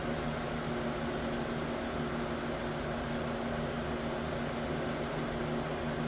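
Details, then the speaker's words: Anycubic Ace Pro filament unit slot 3 purging during a test print, after earlier loud clicking: a steady, even motor hum with no clicks, grinding or stutter. The slot is now feeding normally. "Let's see if this one purges So three is now purging."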